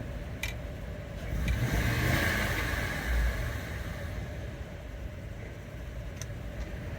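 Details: Engine idling in drive after the idle air control (IAC) valve was cleaned with brake cleaner: a low, even hum with one brief swell that settles back to a steady idle. Smooth, healthy idle.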